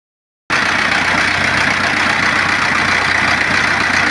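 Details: Diesel engine started after bleeding the fuel at the pump bleeder and reconnecting the fuel hose to the original tank: sudden start into a steady, even idle clatter with no stumble or misfire; fuel system primed, engine healthy.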